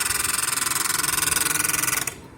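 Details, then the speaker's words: SAIVOD DHX-20 propane-refrigerant dehumidifier running: rapid, even scraping chatter about twenty strokes a second, stopping when switched off; centrifugal fan rubbing, with a burning smell and risk of the fan burning out. "que lo que nos ocurre es que el ventilador hace ruido cuando funciona."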